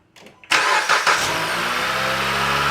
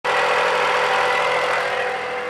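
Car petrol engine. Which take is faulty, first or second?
second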